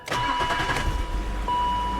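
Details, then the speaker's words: 1997 BMW 525i E39 after new NGK spark plugs and gaskets: starter whirs briefly, engine catches at once and settles into a steady, even idle; a clean start. "she started right up she started right up"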